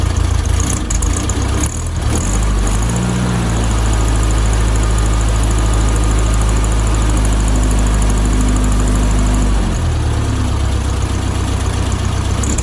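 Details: 1972 VW Beetle 1200 flat-four after valve clearance recheck and fresh oil: oil pressure light out, no leaks, low steady idle burble, smooth and even with no knocks or ticks; engine sounds healthy.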